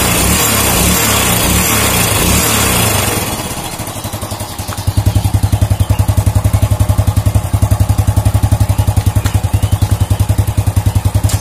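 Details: Old Honda Supra motorcycle engine after repair of a klotak/gletok knock on revving: after some handling noise, it settles into even steady firing at held raised rpm, no clatter or knock. Cause was a loose clutch housing with ill-fitting rivets; fixed.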